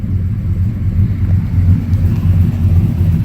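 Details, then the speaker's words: 2004 Dodge Ram with LS engine swap and 5-speed manual, warm, idling low around 680 rpm, oil pressure lower than usual. Deep, even rumble with no hunting or surging; only slight hesitation on first throttle kick. "But yeah, it's actually not acting fussy. Maybe I won't have to reprogram and idle it up. It's actually seeming alright."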